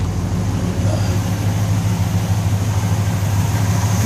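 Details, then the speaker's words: 1964 Chevelle Malibu convertible V8 idling cold at 66 degrees at the water pump: steady low, even rumble with a subtle hydraulic lifter tick, nothing extreme; otherwise a normal cold idle. "sounds pretty good showing 66 degrees still at the water pump hydraulic lifters little subtle tick right there nothing too extreme"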